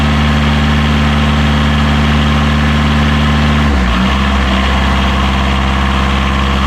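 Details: Diesel genset on catamaran Marram, bench-tested and reinstalled in its locker, restarted during lithium battery bank commissioning after a reverse-voltage check; steady, even low drone idle with a brief dip mid-clip, otherwise smooth and healthy.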